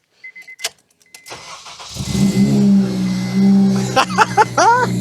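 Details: Supercharged ECUTEK-mapped FN2 Honda Civic Type R after new starter motor, knock sensor and thermostat, coolant drained: a few clicks, then catches and settles into a strong, even idle with a slight beat; normal start.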